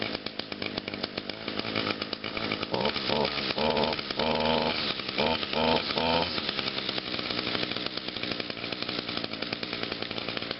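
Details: Echo two-stroke trimmer, cold start on choke after five primes, unused since Friday: buzzy engine settles into a steady high note with clean throttle blips, no misses or sputter; healthy start.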